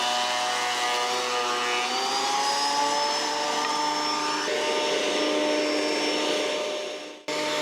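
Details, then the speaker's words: Old planer reassembled after replacing knives, test cut at full-crank depth: steady high motor whine holding pitch, dipping briefly as the board feeds through then recovering; healthy planer cutting after repair. "So I got the planer all put back together, so I'll probably just like grab one of these boards right here, we'll run it through and test it out."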